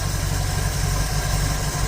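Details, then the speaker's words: 1951 Dodge Wayfarer 230ci flathead six with Gyromatic, freshly rebuilt Stromberg BXVES-3 carb, warm: slow deep loping idle with a soft uneven pulse at about 350-400 rpm, below the roughly 450 spec; idle speed set too low. "So we probably could crank it up just a little bit. We're about 350, 400."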